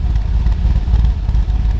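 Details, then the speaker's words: Nissan R32 Skyline GTR at idle after electric fan install; steady deep, lumpy exhaust burble with low throbbing pulse; owner thinks it runs rich, unconfirmed. "Let's listen to this thing. Just a deep little fluffle. Really, really deep."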